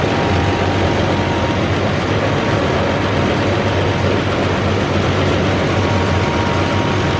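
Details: Massey Ferguson 40 diesel combine, about 1996, sat 3 years, revived after fuel system bleeding: steady deep rumble at even speed with no misses or knocks, running on its own tank, slightly smoky; normal diesel running.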